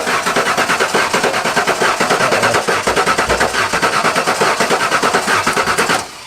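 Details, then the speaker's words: Abandoned 1993 Ford F150 cranking after sitting 14 years: the starter cranks steadily for about six seconds with a lumpy, uneven beat as it catches, sounding like a dead cylinder; the owner suspects sticky injectors. "Prime the key a couple times. I very distinctly hear a uh dead cylinder in here. That's interesting."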